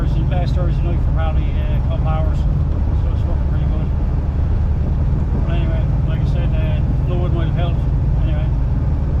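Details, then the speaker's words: 4L80E automatic, previously whining with no gears, road-tested after new fluid and a new filter (old filter clogged solid): steady, even drone while cruising with no whine, slipping, flare or clunk. Gearbox sounds healthy. "New fluid and um new filter put back in and fired her up, took it for a run. Uh no slipping, no noise."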